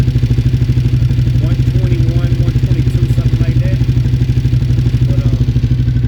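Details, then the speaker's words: V-twin motorbike with Yoshimura exhaust after coolant flush, oil change and new temp sensor, temperature at 110; steady loping idle about three beats a second, no tappet clatter, way quieter than before, healthy. "so we're at 110 now. Yeah, it's way quieter."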